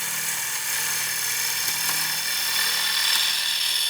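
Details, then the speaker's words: Wood lathe bowl turning with a 40/40 bowl gouge: a steady, even peeling hiss with no thumping or chatter. The fingers press down with the thumb to cancel bevel bounce, giving a clean cut. "It has to be with the fingers as well. So there's the fingers cancelling the bounce."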